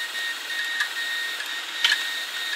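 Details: Failed hard drive, one of several that failed over three years: thin whirring tone with irregular sharp clicks every fraction of a second, heads clicking and struggling; exact fault unknown.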